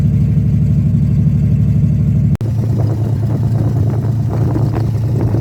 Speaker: well viewers that's what I've been waiting for well that's what I've been waiting for I am um I'm pretty happy to say the least um yeah just happy to hear it run after everything